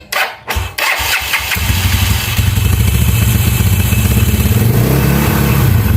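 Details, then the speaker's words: Yamaha Mio scooter with replaced aftermarket starter one-way clutch rollers whose spring is too stiff: engine catches after a few thumps, then idles with a fast, uneven, dry scraping rattle, worst at idle; fix is trimming the spring. "kita akan mengenani kasus atau bunyi berisik yang terjadi di CPT Mio ya, Teman-teman. Jadi ini disebabkan dari oneway ya, one way yang telah saya ganti."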